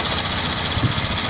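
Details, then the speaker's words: 2012 car running again after a six-year no-start; only an evaporative emission solenoid fault remains: short steady idle under heavy hiss, no knocks or misses. Normal idle. "So the car is working now. The only fault that is complaining is evaporative emission system solenoid. So that one is a everything is working perfectly fine."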